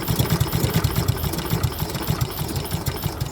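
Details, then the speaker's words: Old Honda Harmony mower, Kohler-clone engine unrun for a long time, started with fuel mix squirted into the plug hole, choke then opened. Low, uneven thumping that never steadies; it struggles and revs won't rise. Owner suspects an rpm problem, possibly water in fuel. "quite a little bit more chill you know she hasn't run in a long time you know really let's see yeah she's struggling"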